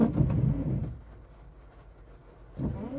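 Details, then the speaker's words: Toyota FJ Cruiser in rain: the wiper blades sweep the wet windshield roughly and chatter instead of gliding; they are rarely used, and wiping them with WD-40 silicone lubricant is being tried as the fix. "a little chattery and not as smooth as it could be"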